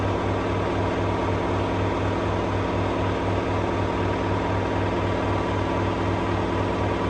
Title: LG washing machine F1222TD full speed final spin with a view of the dryer to be fixed 🤨🤨🤨